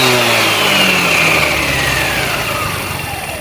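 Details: Chinese 157 engine: strong high hum and whine drifting downward as the engine winds off, humming from the variator, cause unknown.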